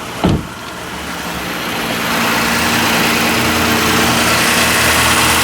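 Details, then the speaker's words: 2009 Ford Flex, cold start right after a K&N cold air intake install: quick crank, then a smooth, even cold idle that builds slightly as it warms; sounds good, normal idle. "oh it sounds cool yeah that sounds pretty good"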